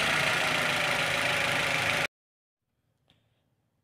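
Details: Toyota Avanza/Daihatsu Xenia radiator fan running with the engine on, after a repair that fitted new carbon brushes: steady, even whoosh for about two seconds, then a clean shut-off; the fan works normally again.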